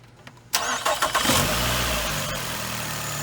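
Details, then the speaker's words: Nissan Altima petrol engine after a misfire repair on a mobile call: it cranks, catches and settles into an even idle with no stumble. The shaking is gone; the coil pack's spark had been hitting the engine, and the coil pack still needs replacing. "all right and that's all she wrote you see the shaking is gone all because that spark was it was hitting the engine and not the uh you shut it off you're good to go now"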